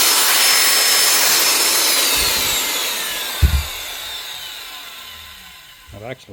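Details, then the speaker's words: Power drill that would not run, fixed by simply replacing the blown fuse: high motor whine running evenly, then winding down smoothly after release; runs normally. "Not very often you see one coming on. It's just a fuse."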